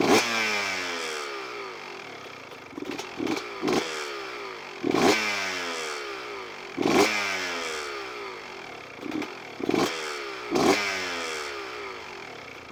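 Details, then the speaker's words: CR125 two-stroke with the carburettor air screw turned in to a rich position: repeated throttle blips sound muffled and choked, the engine bogs and revs sag, then the idle drops off fast; mixture too rich. "et comme vous l'avez entendu juste là, il s'embourbe assez bien et le ralenti vient de tomber vraiment rapide si définitivement trop riche d'un position"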